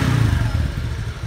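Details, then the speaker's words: Suzuki Skywave 125 scooter, carburetor, engine running: a short throttle blip then revs fall quickly and evenly to a steady idle with no hanging; slow return could indicate worn carburetor slide/needle. "pastiin Setelah teman-teman semuanya Rifda seperti ini turunnya langsung konstan turunnya nggak lama"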